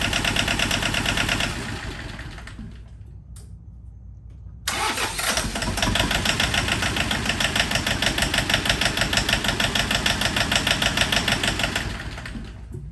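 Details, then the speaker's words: John Deere 650 4x4 tractor, first start after budget rebuild: long bouts of even starter churning, about three strokes a second, with pauses and no firing; air still in the fuel lines being purged. "I feel like well you should turn it off no less sounds like that I'm trying to get the air out"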